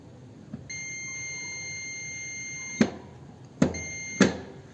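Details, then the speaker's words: Starter motor removed from the vehicle, solenoid continuity test with a meter: a steady high beep while the plunger is pressed in, then sharp clicks. Solenoid contacts close properly, normal. "se produce lo que es la continuidad al momento de presión del émbolo está dentro de lo normal."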